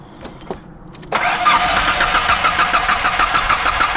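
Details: 1994 Ford Ranger running only on vodka and Red Bull. A couple of clicks, then the starter turns steadily at about three beats a second and nothing catches. It cranks but won't fire.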